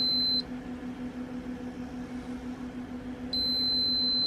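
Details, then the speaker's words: Giandel 1200W inverter powered from a running Rav4 Prime, after failing a 900 W test while charging and getting hot: steady high-pitched beep cycling every few seconds over a low hum, overload alarm with nothing connected; owner thinks inverter is broken. "Why does it keep on saying overload? And I think I like broke this inverter, man. It does not want to charge anymore. I don't have anything hooked up to it."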